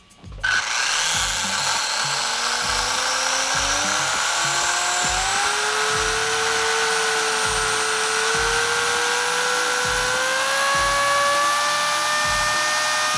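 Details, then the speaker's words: Traxxas Rustler VXL 2WD RC truck after Boca ceramic bearing upgrade to rear end, break-in run on 3-cell battery at 4.15 volts per cell: smooth whine climbs steadily as wheels spin up, no grinding or clicking; healthy drivetrain. "So I'm going to go ahead and spin this guy up."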